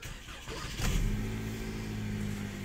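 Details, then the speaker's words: 2013-2015 Chevrolet Malibu LT 2.5L just after engine and transmission replacement, coolant refilled: starter catches within a second, then smooth, even idle with steady low drone, no knocks; normal start and idle. "can see it is cranked up and running here. The engine sounds pretty good. I have not really checked it out much."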